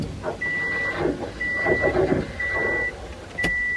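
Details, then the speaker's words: Subaru WRX after installing DeatschWerks inline 40-micron filter and DW300 fuel pump, ignition on: four short even pump buzzes about a second apart as new filter fills; healthy prime. "You'll hear that new filter filling up with gas. And it's primed."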